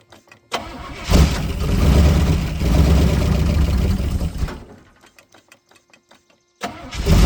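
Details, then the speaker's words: Buick 350 V8 cold start: starter cranks briefly, engine fires right up without coughing and settles into an even idle; healthy start. "She runs. I'm uh I'm not going to change that at all. I didn't cough or anything and it fired right up."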